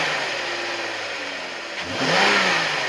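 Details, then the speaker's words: 2011-2015 Jeep Grand Cherokee 3.6, stock intake before K&N cold air intake install: a couple of quick free-revving blips, quiet smooth pitch rise and fall, intake barely audible; normal healthy engine. "So with that being said, let's fire it up. Alright, just going to give it a couple little revs."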